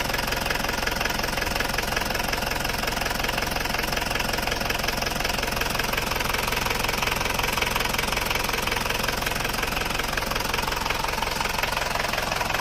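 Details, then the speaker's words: Isuzu Panther diesel from Kras Kediri that the owner says runs rougher than before, at idle: a steady, evenly spaced sharp tek-tek about three a second over the clatter. Piston slap, with pistons worn beyond standard rocking against the bores. "seker atau piston saat mesin itu sudah mulai bunyi tek tek tek tek tek tek tek tek tek tek tek hal itu disebabkan oleh benturan antara piston dan dinding silinder"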